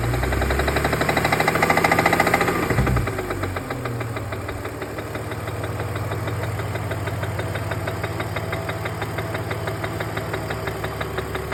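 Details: BMW E46 330 at steady idle with a light, even ticking about three to four per second; top-end tap or knock, source not pinned down.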